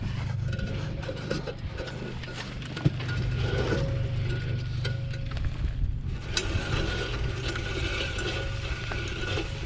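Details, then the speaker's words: 1972 Plymouth Satellite Sebring, rear wheel turned by hand during teardown: rough, irregular scraping grind rising and falling with rotation, apparently from the rear brakes; rear frame rails and structure otherwise solid. "bit of grinding in there but it sounds like it's just from the brakes but we'll get this all torn apart"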